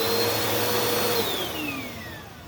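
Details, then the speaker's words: Bissell Powerforce Helix vacuum, purple unit, checked for motor health: clean, steady motor whine that winds down smoothly with falling pitch, no screech or grind, no burning smell; motor sounds healthy. "All right, I don't smell anything burning. Wind up and wind down are all right, no screeching."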